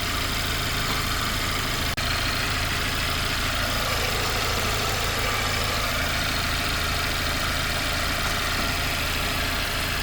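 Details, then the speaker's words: Mercedes C-Class C300 whose radiator fan ran full speed constantly (P0483/U062387), after the fix; steady, even rush of air from the cooling fan over a smooth idle, no rattle or surging; fan now runs normally in auto mode. "Auto fan मैंने आपको बाहर चेक करा दिया है, ये बिल्कुल नॉर्मल चल रहा था।"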